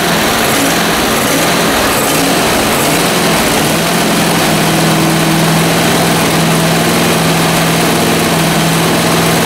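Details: Zero-turn mower small engine after carburetor disassembly and reassembly still runs rough. It has an uneven, lumpy note and a wavering hum instead of a steady beat; the cause is unclear.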